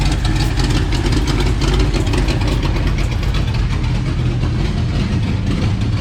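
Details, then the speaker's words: Mustang project car idling: loud, lumpy idle with a fast, uneven ticking puff over the rumble; exhaust leak near the manifold. "let's get this thing tight and let it run apart from the exhaust leak it runs really"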